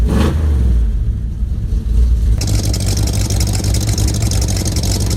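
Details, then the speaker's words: 1967 Ford Mustang V8 with a newly welded exhaust, headers back to tailpipes (2 1/4 pipe, glass packs, stainless tailpipes): loud deep rumble, quick rev then steady throaty run with no leak ticking or puffing; healthy exhaust note. "Welded up a whole new exhaust, headers back to tailpipes. And it looks good, and it sounds good, too."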